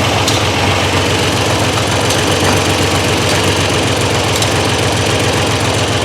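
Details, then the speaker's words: Triumph Trident T160 triple at idle after a relay mod that feeds full voltage to the Boyer ignition module; idle is steady and even with a busy mechanical patter and no misses, though the left carb's idle circuit is suspect. "this left hand carb here is a little suspect on the idle circuit side but but she's running and she's idling so i'm not too bothered about that"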